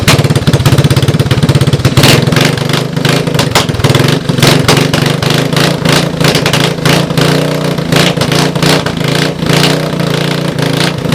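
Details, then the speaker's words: Honda 250ES Big Red ATC parts bike, first start with a used portable CDI box and starting fluid, cracked head at the exhaust mount; very loud, sharp open popping, rough and rattly at idle, smoking, running with no exhaust fitted. "obviously I would try to put some kind of exhaust on there to quiet it down a little bit"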